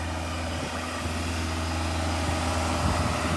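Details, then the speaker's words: Ford Galaxy Mk4 2.0 TDCi diesel held at about 2,500 rpm during a static DPF regeneration after the no-run fault was fixed: even raised drone with no misfire or injector knock, injectors coded in, no misfire codes; normal high idle. "Um, it's running nice and smooth now. The injectors are all coated in. You can hear it's running well."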